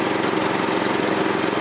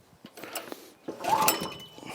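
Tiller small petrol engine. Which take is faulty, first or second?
second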